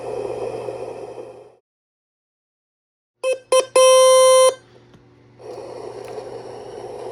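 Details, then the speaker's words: Circa 1966 GE P1700A/P1701A germanium transistor AM radio, signal tracer fed at the speaker voltage divider after finding shorted transistors: hiss cuts out, then clean steady test-tone bursts come through; audio section working. "So that's a good sign. And you can hear that quieten up when I turn the receiver off. So at least we have the audio section working at this point."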